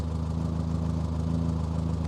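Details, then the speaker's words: 1968 Morris Minor after rewiring engine and accessories: steady, even low idle with smooth regular firing pulse, no knocks or misses; engine works, normal idle. "engine works as you can hear"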